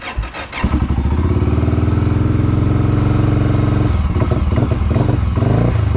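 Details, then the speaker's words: Honda GB500 single, cold start with choke on: fires, runs a few seconds with wavering uneven beat, then sags and dies; won't hold idle, starts for a second then turns off; cause not yet known. "on it's like it wants to stay started but it doesn't want to stay started its mind is very not made up on what it wants to do on idle right like it starts for a second turns off"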